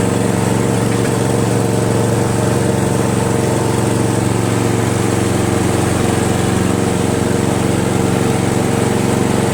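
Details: Craftsman push mower, 158cc Briggs, after carburetor cleaning and fabricated throttle governor spring: steady even drone, no misses, surging or knocks; healthy idle on a very hot day.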